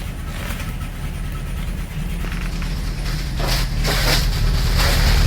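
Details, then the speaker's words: 1984 Dodge Mini Ram van, carbureted, 5-speed manual, first start after over two decades parked, cold Minnesota start: uneven loping idle with stumbling low thump, missing beats, running on roughly 3.5 cylinders; misfire. "It's like 3.5 cylinders. Three and a half's good enough."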